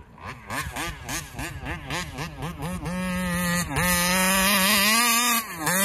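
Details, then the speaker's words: Taylor RC 35cc reed-valve two-stroke in the Punisher RC car, freshly installed, being tuned at fairgrounds: sharp buzzing revs rise and fall about twice a second, then a high scream dips and recovers; surging at full throttle, won't idle, owner suspects carburetor, plans carb swap. "I'm going to uh swap out carburetors is what I'm going to do next to try to get rid of that flutter it keeps fluttering"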